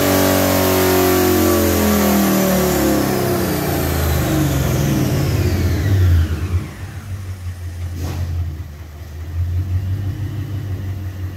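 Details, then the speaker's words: 2019 Mustang on base 93 tune, first full-throttle dyno baseline pull: ragged heavy misfire at the top end from about 5600 rpm to 6000 rpm, fuel trims and timing fine, suspected physical cause, bad spark plugs. "if you listen very carefully you can hear it misfiring heavy on top end and uh anyway looking at the data log it started misfiring around 5600 RPMs and I left it at 6 000."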